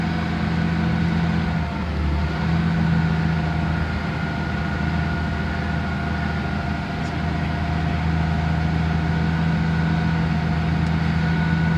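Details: 1971 Chevy C10 truck on a cold start, cranked by a cheap year-old battery charged for two days: steady, even low idle with no misses, knocks or dips; the old six runs smoothly and sounds healthy.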